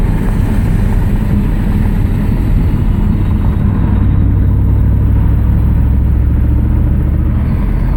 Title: Exhaust leaks are kaput